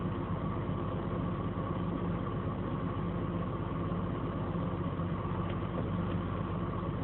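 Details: BMW 528i after a front-end fender bender, engine idling: steady low drone with an uneven, rough undertone. The abnormal noise appeared after the collision; the cause is not yet pinned down.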